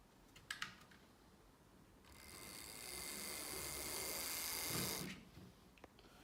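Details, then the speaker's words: Roughly 40-year-old Hornby Class 37 DC model locomotive running up to high speed: loud, steady, high-pitched motor whine, then stops; thought to be a common old-Hornby issue possibly needing oil and lubrication. "So as you can hear, at high speed there's quite a distinctive whine. I've had a quick look online, and it seems like this is quite a common problem for the old Hornby locos, and it could well just be down to a case of it needs some oil and some lubrication, and that might well fix it."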